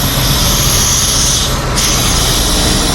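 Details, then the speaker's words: 2007 Dodge Magnum SRT8 6.1 Hemi, running poorly and fouling plugs: steady loud hiss of air sucked in at the pulled dipstick tube, briefly cut off; crankcase vacuum from a blown intake manifold gasket. "not sure if y'all can hear that there's a vacuum in the dipstick too which there should not be"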